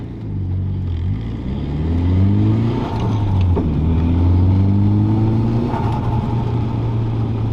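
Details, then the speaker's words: Nissan S13 180SX with R200 VLSD differential, third-gear deceleration from about 3000 rpm: low drone falling in pitch between roughly 2700 and 2000 rpm, gone on throttle. Owner suspected diff backlash, but the noise persisted after shimming; driveshaft center bearing suspected next. "So still 3000, just dipping under 3000 now, and you can hear that noise. Might need to go a little bit faster. Third gear decel right now."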